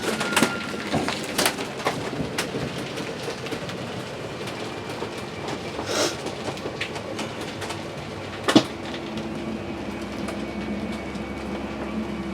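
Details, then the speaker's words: 2015 Keystone Springdale 270LE travel trailer electric slide-out: motor hums steadily, then rapid clicking ratchet at full travel, signalling fully in or out; normal, designed to prevent over-extending or over-retracting, no damage. "you're just going to run it out till you hear the ratcheting sound. That's how you know you're all the way in or all the way out. It won't damage it. It ratchets that way to keep it from overextending or over retracting."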